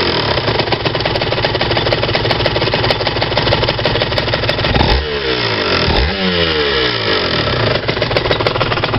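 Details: RS 125 two-stroke revving: busy clatter with metallic clinking through revs and blips; no rattle at low speed, 30 km/h in 4th–5th gear; engine rattle, cause undetermined.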